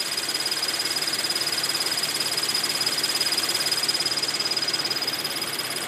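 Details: Scion FR-S running with a fast, regular high-pitched chirp about three times a second from under the hood; cause unknown.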